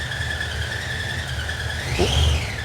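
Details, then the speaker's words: 1968 Chevy C10 with 2005 Ford Explorer suspension, small-cam V8 just jump-started: a thin steady whistle rides over the idle and sweeps up briefly with revs. Source unknown; oil pressure appears present. "i want to know what that whistling noise is there's a little whistling noise i don't know what that is"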